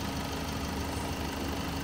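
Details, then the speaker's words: Great Wall Hover H5 4D20 diesel after repair, fluids filled and fuel pumped; engine starts and idles soft, steady and even with no knocking or tapping, sounding healthy. "Well, actually the car is started, it’s running soft."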